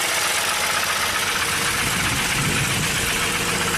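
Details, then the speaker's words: 2002 Jeep Grand Cherokee 4.0L inline-6, crank no-start after engine rebuild and many parts: first start with pedal floored, heavy blue smoke, ragged uneven raspy idle that won't rev; later found no cam signal; rough idle. "Woohoo! Holy shit. Was it in park? Oh, a lot of blue smoke there. Sounds like a diesel. Woo! Sounds terrible, but it runs."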